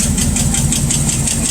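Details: Rat rod V8 idling after running a while: sharp, regular ticking on top, about six ticks a second, found with the valve cover off to be a bent pushrod; engine also running rich.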